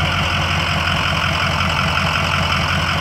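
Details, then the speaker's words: 2004 Ford E-450 box truck, 6.0 L diesel, 121,000 miles, warm after about an hour running, no overheating: even, steady diesel clatter at idle, no skips or heavy knocks; normal diesel idle. "engine sounds good it's been running for about an hour does not overheat"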